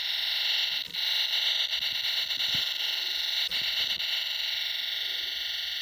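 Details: Left fan of a 2017 MacBook Pro Touch Bar: high, rough whirring hiss with buzzy scraping as the blade sits too low and hits the casing; pressing the fan back fixed it.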